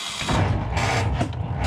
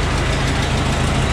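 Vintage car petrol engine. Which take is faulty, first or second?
first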